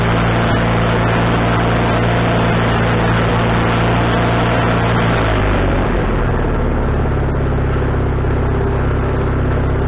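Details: Wood-Mizer LT40HD sawmill engine with a newly replaced carburetor, mixture screw set three turns out, not sawing: steady drone that drops smoothly to a lower speed partway and holds even, no surging or misses; owner thinks tuning is right.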